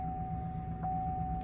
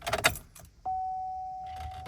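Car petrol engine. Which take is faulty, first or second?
second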